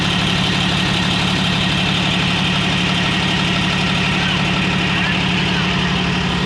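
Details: Komatsu D155A dozer diesel after a no-start repair: steady idle with a firm, even beat of about four pulses per second, no knocks or misses. Normal idle.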